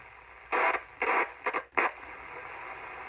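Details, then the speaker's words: Cobra 29 LTD CB radio, receive section probed with a plastic pen: short, harsh static crackle bursts about half a second apart over quiet hiss. The bad solder joint is located. "I circled it right here I do believe we have ourselves a bad solder joint right here"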